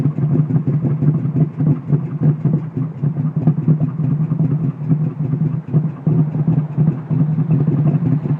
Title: Mustang misfire sounds like cams